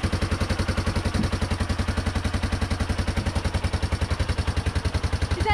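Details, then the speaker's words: 1989 Yamaha Moto4 350 ATV single-cylinder, just started for the first time after a months-long budget rebuild. Even, steady thumping at roughly 214 beats a minute with no misses or knocks; healthy, normal idle. "you see how fast that started right up it was just nice job buddy"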